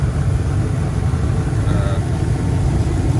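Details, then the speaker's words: Furnace after control board replacement, with the limit switch already checked and fine and the red light no longer blinking: even low roar of burner and blower with no clicking, cycling or rattles; fire working, normal furnace operation. "Fire is working."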